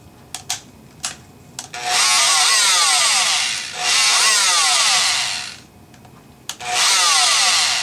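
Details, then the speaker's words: Rockwell Sonicrafter oscillating tool after the speed-control resistors were replaced: buzzing runs in short bursts, then cuts out and restarts. Intermittent power loss; the on/off switch is suspected, and potting material was later found inside it. "nope that has nothing to do with it boy stops completely now let's see our on off switch is our on off switch flaky"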